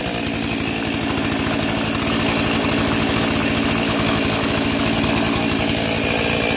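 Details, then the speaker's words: Stihl 036 junkyard chainsaw, first start after carb install and new NGK plug, no air filter fitted: loud raspy howl that sags and labours instead of revving cleanly; bogging. "It's got no air filter on it right now and it's bogging down, but hey, we got fire."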